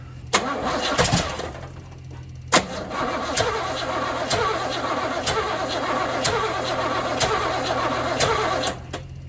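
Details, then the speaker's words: 1978 Chevy Camaro drag car with mystery rebuilt, cammed 350 small block, first fire-up with timing being adjusted and fuel squirted in: cranks with sharp pops about once a second, catches briefly, stumbles and won't idle. "Why is it being like this? It wants to start, but it won't."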